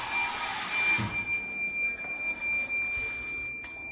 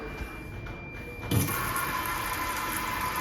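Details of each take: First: School washroom auto-sensor faucet after a power outage: shrill, steady high-pitched electronic tone, short beeps at first and then held; fixed by unplugging it, wiping the contacts and plugging it back in. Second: Auto-sensor school washroom faucet after alarm fix: soft click then steady even water hiss; normal flow restored by unplugging, wiping the contacts and reconnecting.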